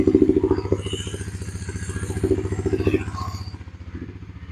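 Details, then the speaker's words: Suzuki King Quad ATV, first start after a crankcase full of fuel was dealt with, running without choke on vacuum fuel feed: fires right up, slightly high but steady single-cylinder idle, no leaks or exhaust smoke; idle then turned down. "wow that fired right up idle doesn't sound too bad it's a little high let's take that idle down a little [Music]"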